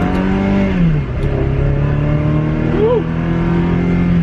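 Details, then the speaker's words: Salvage Ferrari 360, not yet warmed up, just back together after ECU repair: smooth, clean engine note climbing and settling through light throttle blips with no stumbles; revs healthy while warming. "and let's see how it does here give it a little bit of gas we got to warm it up though"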